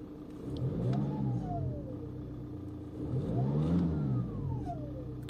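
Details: VW 2.0 TDI 140hp BKP diesel, turbo with seized geometry, after cleaning and reassembly: thin whistling tone rising and falling with revs; turbo whine persists, possibly shaft play, cleaning failed and new turbo needed.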